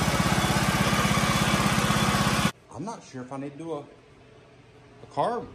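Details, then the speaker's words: 1984 John Deere 111 lawn tractor after replacing fuel filter and fuel lines, no other adjustments yet, previously would not idle, possibly bad gas; small engine ticks over at a steady, even idle with no misses or hunting, then cuts out; normal idle. "I've been sitting here letting it run for a little bit and just changing the fuel filter in the fuel lines made a huge difference before this thing would not even idle and I haven't really done any adjustments to it"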